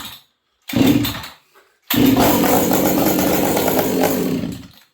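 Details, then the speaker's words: 266XP stock-compression chainsaw cold-started at about -40 in an unheated shop, hard to pull over: a brief first catch, pause, then fires and runs steadily about three seconds before dropping off; starts despite the cold. "There you go. At least it starts."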